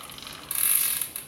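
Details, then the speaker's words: Pinarello Dogma road bike, cranks turning in first gear: light, even ticking whir with no grinding, crunching or skipping; healthy, smooth bicycle drivetrain. "coba ya temen-temen buat Hai halus kali ya a ke c halus ya Ini tadi bunyi-bunyi itu ya Bunyi pihaknya ya halus hehehe"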